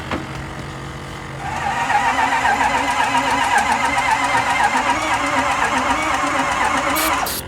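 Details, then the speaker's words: Ford F-250 6.0L Powerstroke diesel that died and won't start, cranking with scanner attached: starter spins unusually fast and light, even whir about four beats a second, never catching, oil pressure builds well; suspected no compression, unconfirmed. "it sounds like got no compression hang on yeah it's building great oil pressure"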